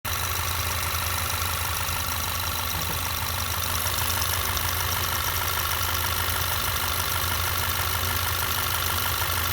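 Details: 2012 Volkswagen GTI at idle only: steady idle with light, fairly quick tick felt at the EVAP purge valve; stops when unplugged; others say normal solenoid clicking.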